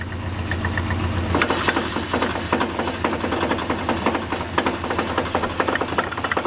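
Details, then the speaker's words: 1965 Buick LeSabre V8 not run since 1989, first time in drive after a carb clean. Irregular scraping clatter and light knocks over a low idle in gear: the muffler is rubbing the driveshaft U-joint. "the muffler is rubbing the uh the Ruffles rubbing the U-joint so we gotta fix that but it's working that's awesome"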